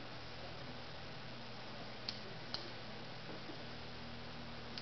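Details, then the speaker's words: Single-pole double-throw automotive relay in a five-wire socket on a 12 V bench supply, wired normally-closed to interrupt a circuit: crisp separate single clicks about a second apart as the coil is energized and the circuit opens; healthy relay switching. "so right now the relay has clicked it's opening up the circuit"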